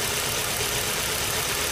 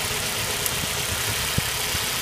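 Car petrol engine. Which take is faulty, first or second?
first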